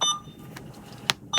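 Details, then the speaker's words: Alaris 8100 large-volume pump module, with the volume to be infused set to 0.1 to simulate KVO mode at a KVO rate of 10: two short high-pitched beeps about 1.3 seconds apart, alerting that the infusion is done and the next bag is due. Normal KVO alert. "Next we're going to talk about the KVO alert and what that might look like we'll be simulating that next."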